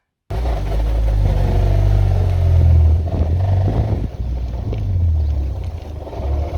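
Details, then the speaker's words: JDM right-hand-drive Honda S2000 AP1 running with a deep rumble and uneven rattling churn from the manual gearbox; cause unknown, so the transmission is being removed. "Today we're pulling the transmission out of my S2000 because unfortunately it started making this noise."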